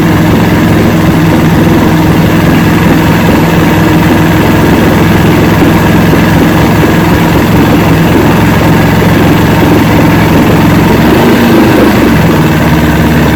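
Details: 1970 Evinrude 85hp two-stroke outboard, hydro-electric shift, about 50 years old, new water pump impeller, run in a water container after shift tests: even low burbling idle, no stumbling, surging or misfire; carburetors judged good at idle, full throttle untested.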